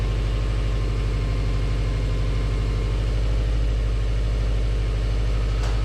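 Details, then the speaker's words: Subaru Legacy GT Spec B after a JDM engine swap, boxer engine idling while warming up and waiting for the thermostat to open; steady low burble with even pulses, no knocks or ticks; normal healthy idle. "all right guys here we are with the jdm motor installed running warming up just waiting for the thermostat to open then i can let it cool down check the coolant"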